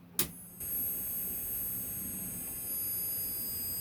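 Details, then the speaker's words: Philips CM8833-II CRT monitor, bought faulty: at switch-on a thin, steady very high squeal over a quiet room, fading out at switch-off, no power light; owner suspects the flyback transformer, and the power switch is also to be replaced. "all we get is a high pitched s wheel and um when you switch it off it Petes out so I'm believing that that is the fly back"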